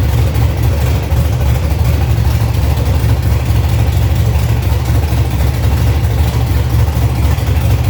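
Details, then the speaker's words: 1965 Chevy C50 truck with swapped first-gen 12-valve Cummins diesel, manual 5-speed, first start after new wiring and fuel lines, untuned: steady, deep, even diesel rumble at idle with no knock or miss; sounds really good for no tune, normal idle. "But like I said, we got to hear it run, and it sounds really good for no tune at the time"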